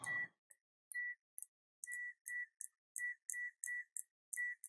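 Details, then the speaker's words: UNI-T UT210E clamp meter in continuity mode; short, fairly quiet high-pitched beeps each time the probes touch, roughly one a second, with slight lag; otherwise normal continuity beep. "It's relatively fast a little bit of lag there but it's ac"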